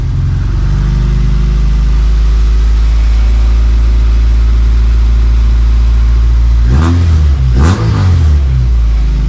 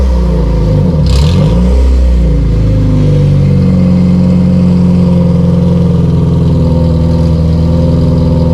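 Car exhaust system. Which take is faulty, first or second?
second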